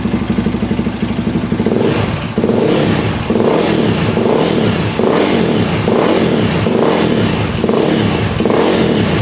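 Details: KTM 525 (Outlaw) after fuel line clamps redone, no-run issue fixed, fuel tap on reserve: single-cylinder blips up and drops back cleanly in repeated pulls, no coughing or fuel starvation; running healthy again.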